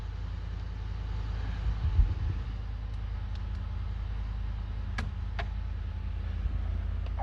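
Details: Ford F-150 after replacing blown 20 A fuel pump module fuse no. 20 that caused crank-no-start: low even rumble, no misses, stumbles or knocks, couple of faint clicks; engine idles smooth and healthy.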